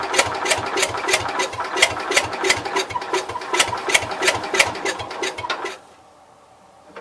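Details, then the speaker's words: Cub Cadet 122 garden tractor revival, hot starter: engine cranks about three times a second for five seconds with no catch, then stops; owner thinks spark lost, also suspects leaking valves or electrical fault, possibly burnt mouse nest; unconfirmed. "Let's just see if you can hear it run a second. So it's trying. It tried. Alright. I think we lost spark."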